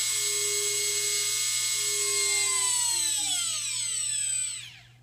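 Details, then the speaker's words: Twin electric motors of an RC balsa cargo plane, props removed, run to full rpm: a high, clean, steady whine with no beating, then a smooth spin-down. The near-identical pitch shows matched thrust per wing. "when you get to the full rpm of the motor you can really hear the two being almost exactly identical in pitch which means that the power thrust per wing side is going to be really similar"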